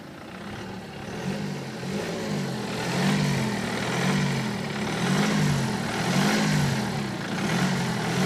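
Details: BMW 118d E87 phase 2, late 2008, 120,000 km, diesel at idle: light metallic rattle swells and fades about every second over the steady clatter; owner suspects the known timing chain fault.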